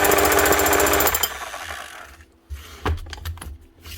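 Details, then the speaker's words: 2006 Makita HM0860C 5 kg hammer-only chipping hammer, badly burnt-out shorted armature, also leaking oil; rapid steady hammering for about a second, then winds down, smoking; still hammers, but weakly. "That'll do. She's got some hammer, better than nothing."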